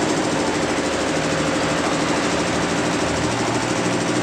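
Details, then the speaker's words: Two-cylinder Yulin/Dongfeng-type diesel after replacing cracked cover (deksel) gasket that caused hard starting: steady, even idle chug with no hiss or water gurgle from exhaust; now starts and runs normally. "mudah-mudahan nanti mudah hidupnya sudah ganti Pakde kerusakannya karena pecah tadi Oke sudah hidup normal"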